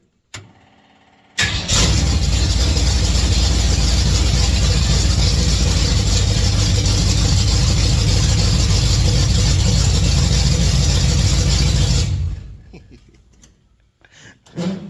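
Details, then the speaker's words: 1959 GMC pickup V8 on open headers with no mufflers, before a 3in exhaust is installed: cranks, catches, then settles into a very loud, raw rumbling idle with hard low pulses. Obnoxiously loud open headers. "yep pretty obnoxious but I like it people around me not so much so anyways we're going to quiet this thing down"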